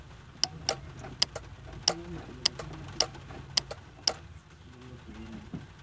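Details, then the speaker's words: Non-starting 250 pickup truck, key cycled on and off with the mic on top of the relay box: crisp relay clicks in pairs with no fuel pump hum after them; pump gets no power. "Si de entrada Nosotros le damos el llavazo para activar y no se escucha nada por ahí tendríamos pues ya un problema"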